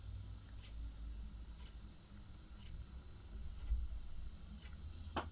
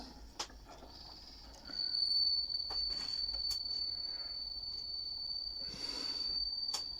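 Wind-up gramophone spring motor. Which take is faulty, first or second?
second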